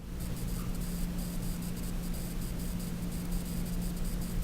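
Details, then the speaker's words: ASUS ZenBook UX430UN laptop (Intel Core i5-8250U, NVIDIA MX150 2 GB, 16 GB RAM, 512 GB SSD): faint steady electrical buzz with flickering high-pitched static over a low hum, coil whine clearly audible in a quiet room. "It's Coil Whine, and you can definitely hear it in a quiet room."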